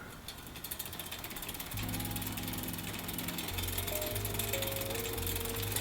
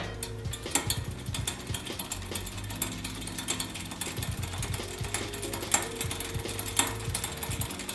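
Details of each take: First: Shimano XT Shadow Plus rear derailleur on smallest cog after loosening the high limit screw: pedalled drivetrain runs as a smooth, even, much quieter whir without popping or crackling. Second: Shimano XT Shadow Plus rear derailleur with the high limit screw set too tight, chain shifted down to the smallest cog: irregular popping and crackling from the chain while pedalling.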